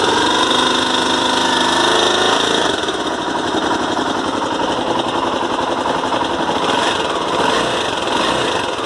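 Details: 2006 Honda Tornado single with the cam chain replaced by a non-original one 1,500 km earlier; fast uneven metallic top-end ticking has returned worse than before; possibly the cam chain.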